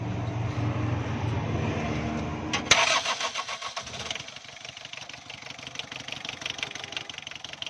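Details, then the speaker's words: Warm diesel engine with over-advanced injection pump timing, hard to start after standing 5 minutes (push-start needed after an hour): few seconds of cranking churn before catching, then uneven, stumbling, misfiring and vibrating run; fix is retarding the pump. "जी दोस्तों, जब गाड़ी 5 minute तक खड़ी हो जाती है तो starting इसकी बहुत लंबी हो जाती है।"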